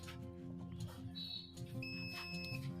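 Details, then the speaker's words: Boot cable (mechanic) that beeps on DC power supply, multimeter continuity test on the suspect MOSFET IC: two steady high beeps confirm the three source pins are connected; a gate-to-drain beep later shows the IC is shorted. "ठीक है, ये तीनों आपस में कनेक्ट हैं। ये सोर्स है और ये आगे वाली जो है ये गेट है।"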